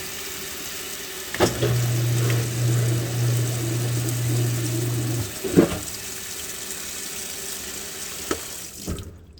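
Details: Washing machine with lid switch bypassed: water runs in steadily for about four seconds with a low hum and a few clunks; filling normally.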